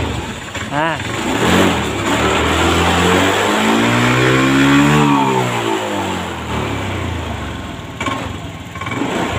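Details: 2022 Honda Scoopy scooter that smokes white, uses oil and won't idle: revs climb to mid speed, then bog down and die, recovering once the throttle is released; mechanic points to the fuel pump, not confirmed.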